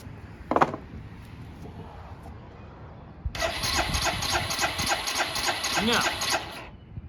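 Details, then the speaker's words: Barn-find 2005 Suzuki GZ250, 950 miles, long stored: a few seconds of starter whirring with no firing beat; no fuel from petcock on main or reserve; cranks but won't start. "no fuel. Alright, well, that's probably one of our issues."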